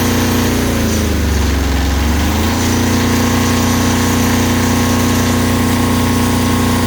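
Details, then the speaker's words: Kubota GL 7000 diesel generator after governor adjustment lowering speed from about 63.75 Hz: uneven start settles into a steady, even hum of constant pitch; now running around 60 Hz, correct speed. "so that looks pretty good you can see that we're right in that 60 UH 60 htz range"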